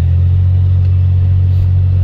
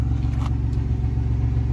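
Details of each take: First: 1990 Dodge Grand Caravan LE, just revived, on test drive in snow: deep, loud steady drone under way, far too boomy; muffler leaking, more exhaust escaping from the muffler than out the tailpipe. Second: 1990 Dodge Grand Caravan LE, cold start at about 35°F the day after being revived: steady, even low idle rumble; the earlier sticky-lifter tick is gone, likely freed by a heat cycle; normal idle.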